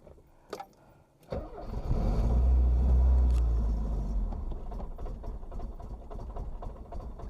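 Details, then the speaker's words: Porsche 924 after repairing a vacuum leak, start attempt, fuel pump audible beforehand: cranks, catches and flares to a loud run, then the beat sags and wavers instead of settling to steady idle; rough running. "so it ran for 10 seconds that's quite good let's try it"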